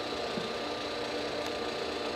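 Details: 1959 Axeman Anderson 130M coal stoker boiler on a heat call, oil at 150 °F, stack just under the 81 °C start point so the auger has not yet started: combustion fan gives a steady, even hum, constant tone, no knocks or rubbing. Normal.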